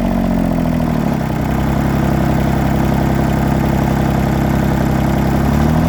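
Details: John Deere 332 at 64°F, run over an hour earlier that day and not fully warm. Loud, uneven low idle with a wavering beat and pitch dips; misfire with smoke that is worse cold and improves as it warms.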